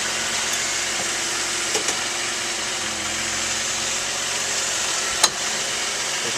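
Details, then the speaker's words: 2010 Mazda CX-9 pulling out of the driveway at low speed: sharp, isolated clicks from the front end break through steady cabin hiss, several clicks in a row; front end clicking while driving, cause not yet identified. "So here we go. We're pulling out of the driveway. There's one click. There's another click."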